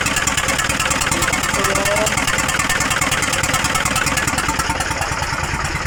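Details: Hino 300 truck with W04D diesel, misfiring with white smoke: rough, pulsing idle with a hollow, horn-like honking tone from the intake.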